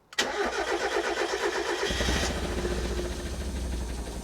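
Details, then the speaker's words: Fire-damaged Mk1 Mazda MX-5 after swapping coil wires: uneven, stumbling idle, still misfiring on two cylinders, with no spark at HT lead two; owner suspects damage inside the ECU. "so yes still misfiring and to confirm that I've got HT lead number two honest spark plug to the inlet manifold and no spark"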